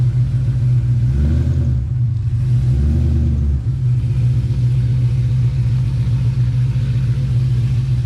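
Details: 2005 Pontiac GTO back from the track: deep steady low rumble with a couple of clean throttle blips; motor runs smooth and healthy, though the car slips and revs out above 4–5 mph from a rear differential fault.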